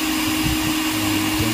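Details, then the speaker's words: Mixer grinder motor after repair of heavy carbon buildup that caused sparking: smooth, even motor hum with steady tone, no sparking crackle or rattle; running normally. "चल रहा है चल रहा है बढ़िया चल रहा है और काम कर रहा है कोई दिक्कत नहीं है कार्बन खीस गया था पूरा ज्यादा"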